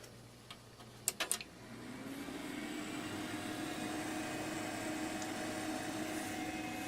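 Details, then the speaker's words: A few clicks at switch-on, then a steady airy whoosh settling to an even hum from a replacement power supply in an old computer whose previous supply fan knocked and needed oiling; strong airflow, and the fan runs smoothly. "Post sounds more of a jet engine now but there is certainly air flow there maybe the camera will hear it"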